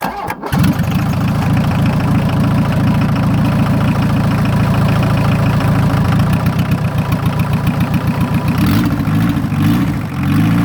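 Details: VW diesel truck, 43 years old, first start in a year on a ten-year-old battery after glow plugs, in neutral: a short crank, then it catches at once and settles into a steady, even idle clatter.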